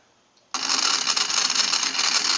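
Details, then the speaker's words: 3D-printed plastic gear train driven by a robot track motor at no load, gears not yet greased: sudden gritty buzzing whirr, loud and slightly shaky but strong and hard to stop by hand, normal no-load running. "so you can hear it going. It's a little shaky, but it's already hard for me to stop by hand."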